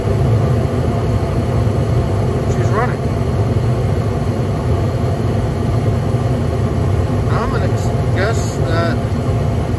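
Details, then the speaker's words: York 80% gas furnace on a no-heat service call; the thermostat is cycled, the inducer starts, the hot surface igniter lights and it lights with a deep, even blower and burner roar. Normal operation. "did the thermostat like click off all right that's the inducer motor got no action here on that integrated control board my high service igniter has lit up"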